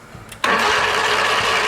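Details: Lawn mower starter after lubricating the Bendix shaft and bearing (not the rubber friction part), having sounded like it needed lubrication: kicks in sharply with a steady, even whir and no grinding. Engages and cranks cleanly.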